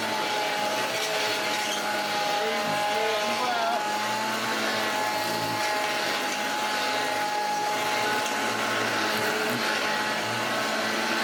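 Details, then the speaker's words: Hoover Junior 1334 upright vacuum, old loft find, first run: steady loud motor roar with a wavering high whine; armature visibly moves, one motor bearing completely gone, motor bearing noise. "Oh yes, you can tell that one of the bearings is completely gone because moves it."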